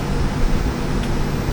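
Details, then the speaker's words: 2023 Winnebago Minnie travel trailer rooftop AC in cold mode with fan on auto: a steady, low fan rush and compressor hum with no rattles or knocks as the fan runs at whatever speed it needs to cool the trailer. Normal operation. "AC comes on. It will run the fan at whatever speed it feels like it needs to cool down the trailer."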